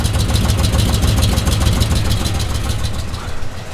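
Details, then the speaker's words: 1967 Buick Special with a 350 small-block Chevy and newly installed long-tube headers, idling with paint burning off. A loud, lumpy idle with a sharp puffing tick on each firing pulse: an exhaust leak at the header collector gasket. "it's running it's doing car stuff it's leaking exhaust from the this wly area think that's all the paint turning off oh yeah there's that leak right"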